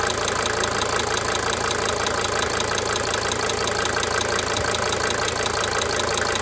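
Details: 1992 Mercedes-Benz 300D 2.5 turbo diesel idling for several minutes, with a sharp, cyclic injector tick fading in and out over the clatter; diesel injector ticking.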